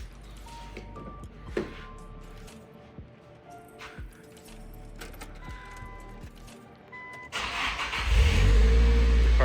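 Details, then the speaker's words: 1999 Nissan Silvia S15 Spec-S manual, naturally aspirated, just after fitting a bench-tested replacement starter to fix a starting problem: quiet shuffling, then the engine catches quickly and settles into a strong, steady run. It starts clean. "finally starts right up sounds great"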